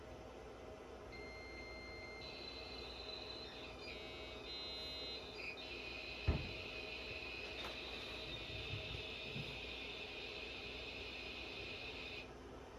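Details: Modem dialing into a Cyclades TS2000 terminal server from a Windows XP machine: dial tones, warbling screeches and a long hiss, then silence. A normal handshake; the PPP connection succeeds, the correct IP is assigned and pinging the internet works.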